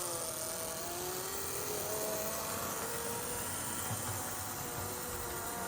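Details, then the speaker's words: Conrail HO scale model locomotive, unused in its box, pulling a box car train with caboose: thin, steady motor whine with gear buzz under load; runs a little slow and still kind of loud but solid. "Runs good. Little on the slow side and still kind of loud, but still I think a solid running locomotive for sure."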